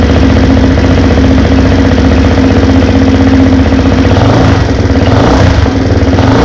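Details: Honda 400EX after a top-end rebuild, with valves adjusted and a blown 15A fuse replaced, first start before the heat cycle: a loud, steady single-cylinder thump at a fast, even idle with no clatter or misses.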